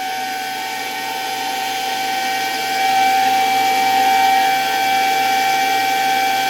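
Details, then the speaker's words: 1965 Alfa K2 vacuum cleaner motor run on an autotransformer at slightly raised voltage: smooth steady high whine swelling with voltage, no grinding; bearings quiet, little brush sparking, motor runs normally. "It started quite nicely. The bearings aren't making much noise, and there's not much sparking in the brushes. Overall, the motor runs quite well"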